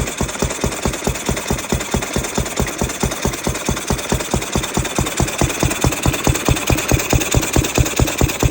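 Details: Ruston 6PS stationary petrol engine, belt-started after remounting the magneto whose drive coupling had popped out: steady, even chuffing beat around 140 a minute, firing cleanly with no misses or knocks; running healthy.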